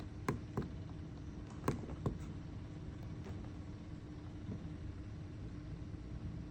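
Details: Bonaire evaporative cooler: irregular sharp clicks, several in the first two seconds and then fainter, over the steady motor hum; cause not evident.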